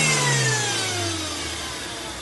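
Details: Ford Fiesta 1.0 supercharged petrol winding down smoothly from a rev with a clean falling tone and no rattle, after the fix: an A/C pipe touching the fan and a damaged belt tensioner, not the supercharger.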